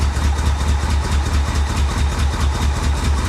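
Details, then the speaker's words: 1985 Chevy Corvette V8, first revival after sitting in a Florida swamp: barely holding idle, uneven lumpy beat about two pulses a second with occasional pops, misfiring; suspected timing, fuel, or swapped plug wires, unconfirmed; injectors may need cleaning. "oh yeah that sounds like a timing issue doesn't it I don't know could be fuel could be timing could be someone got the plug wires on wrong"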